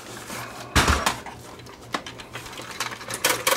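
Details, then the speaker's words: Samsung SV5000 multi-system VCR from a thrift shop, top cover off, playing a tape: motor hum under irregular clunks and clatter while the tape won't move. The pinch roller is missing from the transport. "okay why is the tape not moving oh i see right now why the tape's not moving where's the pinch roller there's no pinch roller on this machine"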